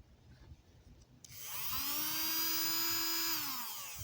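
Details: Battery air hockey puck toy that had been grinding with no airflow, opened up and tested: small fan motor spins up to a steady high whine, holds about two seconds, winds down smoothly; normal running.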